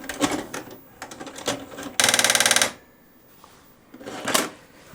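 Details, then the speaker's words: Toshiba RD-XV50KF DVD/VCR/HDD recorder in VCR mode, cassette inserted: short clicking bursts then under a second of harsh rapid chattering as the deck spits the tape out immediately; binding tape mechanism, DVD playback fine. "take a cassette tape plug it in oh and that's what's happening it spits it out immediately and makes this terrible"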